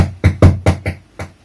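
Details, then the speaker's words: Behringer DR110DSP powered speaker turned up from 0 dB, noisy fan running: about six irregular dull thumping bursts in under two seconds, each cutting in and dying away, a noisy, temperamental volume potentiometer. "we are set to zero db right here and then let's increase it oh that's that's that's that's volume pop one volume part two oh"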